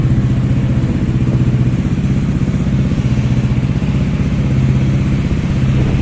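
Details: Five-year-old Yamaha motorcycle that had a very low idle and would not start, suspected ISC problem. Now idling on the original ISC, which still works. A low, steady putter at about four pulses a second, with no stalling or hunting.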